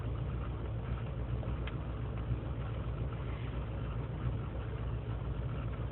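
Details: 2003 GMC Sierra Z71 5.3L V8 (non-flex fuel), cold start after sitting overnight in single-digit temperatures, idling on its own; rough, stumbling idle with RPM dipping to 500, misfire light at 0:55, lean and misfire codes; owner suspects a failing intake manifold gasket.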